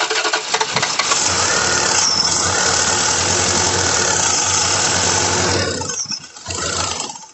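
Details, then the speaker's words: The 88 cranking during a fuel check; the starter spins the engine at an even rhythm, about four beats a second, but it never catches or fires; no gas is seen coming out; crank, no start. "any gas coming out no see gas coming out the other one nope so where are we getting gas from dude this thing's cranking"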